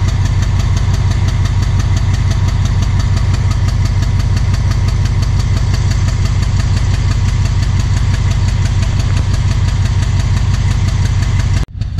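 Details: Thai Railway Alsthom diesel locomotive emitting black smoke: heavy idle with deep, uneven, rough chugging about three beats a second, abnormal engine sound of unknown cause.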